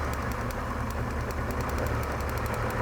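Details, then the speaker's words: 1999 Toyota Tacoma with P0305 code and flashing check engine light, running before repair: idle lopes with an uneven, stumbling beat and irregular ticking, a steady misfire; spark confirmed present at the coil, later traced to a dead fuel injector. "Yeah, so I pulled it in. It has a steady misfire. It really runs pretty bad."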